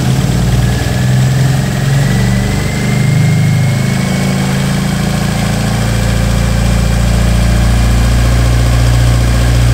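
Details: Toyota 4A-GE twin-cam on bike carbs, first start after build, with adjustable cam gears and pulleys fitted: lumpy rhythmic idle about 3.5 pulses a second with a deep steady exhaust note; normal healthy idle.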